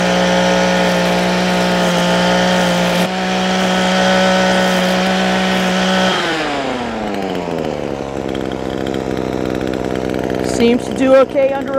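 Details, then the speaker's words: Echo SRM-225 two-stroke trimmer at full throttle under load after replacing air filter, fuel filter and cleaning spark arrester; previously bogged at wide-open throttle. Steady high wail holds pitch without bogging, winds down cleanly; now running properly. "Vì vậy, anh chàng nhỏ bé này dường như đang chạy tốt khi tải."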